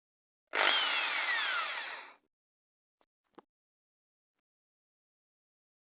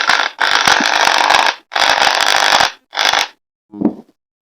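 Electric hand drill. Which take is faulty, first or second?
second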